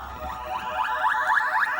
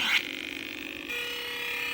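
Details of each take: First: Williams Defender Red Label arcade sound board on the test bench after re-pinning backwards connectors and replacing the amp, during the boot sound test. Clean warbling electronic tones rise and fall evenly with no dropouts, crackle or distortion, so it boots normally. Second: Williams Defender Red Label arcade board set on test bench during sound board repair; on reset gives a short burst then flat steady electronic tones instead of the proper start-up boom, traced to a connector plugged in backwards.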